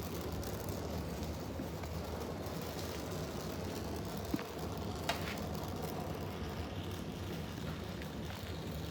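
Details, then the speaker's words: Oxy-acetylene torch with a rebuilt oxygen regulator, set to a neutral flame for gas welding rusty scrap steel: a soft, even, low hiss you can barely hear, with no popping or roar; correct neutral flame. "you want a nice little neutral flame where you can barely hear it hissing"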